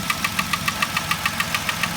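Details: 2010 Vauxhall Corsa 1.0 Ecoflex replacement engine idling: sharp even metallic taps about seven per second that sound like an engine knock, actually worn intake manifold swirl flaps.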